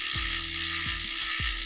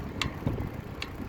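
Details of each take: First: EliteWheels Drive 50D carbon disc wheelset, aluminium freehub, wheel freewheeling: loud, crisp metallic ratchet buzz with sharp, even clicks; healthy but noisy freehub. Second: Carbon road bike wheelset with ceramic bearings, front wheel after about 60 miles riding: sharp irregular clicks roughly once a second over quiet rolling noise; possibly the ceramic bearings, unconfirmed.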